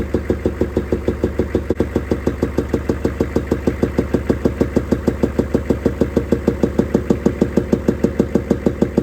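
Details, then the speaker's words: 6.5L Chevy diesel idling with a sharp, very regular knock about three times per second; inspection scope shows a bent pushrod on the second valve from the back, causing valvetrain knock. "it looks like a second valve from the back has a bent push rod that's the rocker arm there"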